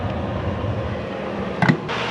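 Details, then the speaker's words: Classic Edge 750 outdoor wood boiler after annual cleaning and temperature sensor replacement: deep steady firebox roar with a brief handling knock, no sputtering; water at 108°, reaction chamber just under 1,200°, no smoke, steady-state normal burn. "there is no smoke at all so it looks like we reached steady state as far as the fire goes it's producing as much smoke as it can burn so all is good"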